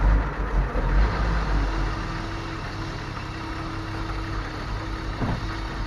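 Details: BMW E34 with Gazelle 406 fuel pump fitted last year, losing power above 5500 rpm: loud steady droning hum over a low rumbling idle; fuel pump whine from clogged pump strainer.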